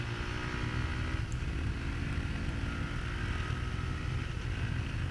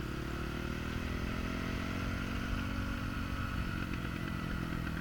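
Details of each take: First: Honda CRF450R four-stroke after carburetor jetting and accelerator pump tuning: steady even exhaust note, crisp sharp throttle response, no misfires. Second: Honda CRF450R coasting downhill with the throttle closed: irregular exhaust crackle and pop on deceleration as the mixture goes lean; the rider accepts it rather than tuning the closed-throttle position.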